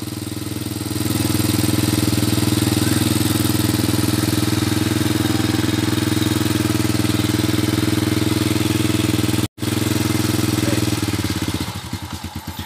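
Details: Honda Supra Fit motorcycle, previously rough-running and heavily smoking, after repair: steady, even idle with a smooth regular beat and no knocks, rattles or misses, and no smoke; the engine is running healthy.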